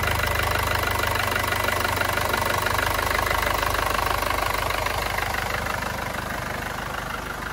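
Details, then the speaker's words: Mercedes diesel on its first cold start after timing chain replacement: steady usual clatter and even firing rhythm at idle, no extra noise or rattle. "as it could be heard no extra noise on the first startup the engine sounded exactly as it was supposed to do"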